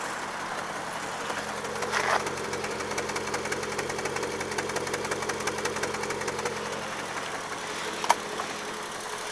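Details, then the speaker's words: Triumph Herald 13/60 engine with four-speed gearbox, barn find, odometer reading 9708 of uncertain accuracy, cold start after sitting days: quiet, even idle with light regular valve ticking, no pops, backfires or misses; starts fine every time, no oil leaks. "it starts fine every time never had any problems with it at all"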